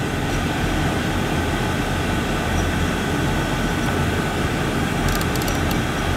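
A steady, even low roar with no pulsing, popping or rumble; the burner lights and holds a smooth flame.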